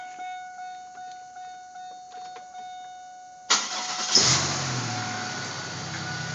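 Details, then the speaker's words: 2000 Pontiac Grand Prix started after a prior bad engine noise fix, rear valve cover refitted and valves not yet adjusted: three seconds of cranking, then it fires, flares briefly and drops to an even, healthy idle with no knock. "listen to that oh yes it's sounding good"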